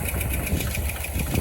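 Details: 1961 Chevy camper engine just reinstalled, first fire-up with 4 quarts of oil, about 70 psi oil pressure on aftermarket gauge: rough low idle with light quick lifter ticking, no knocking; owner suspects it's from sitting long and will pump back up.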